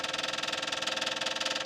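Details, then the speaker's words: Westfield XI stored for years, key on with a jump pack after the battery was dead, engine not running. Quick, even ticking of about thirteen clicks a second is the electric fuel pump priming the carbs; fuel gauge shows a quarter. "That fuel pump is trying to get the carbs pumped up."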